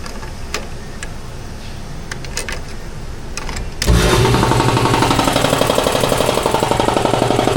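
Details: Shop air compressor after repair of its leaking pressure cut-off switch: motor kicks in and the pump thumps along at an even, steady pace as the tank fills toward about 150 psi; compressor running healthy.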